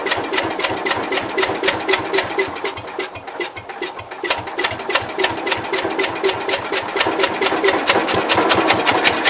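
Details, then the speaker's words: Cub Cadet 122 garden tractor with the clutch held down and a hot starter: it cranks steadily at about four compression pulses a second but never fires. Owner suspects lost spark or leaking valves, possibly a burnt mouse nest or an electrical fault. Cranking no-start. "It tried. Alright. I think we lost spark. Well, kind of seems like the valves are leaking."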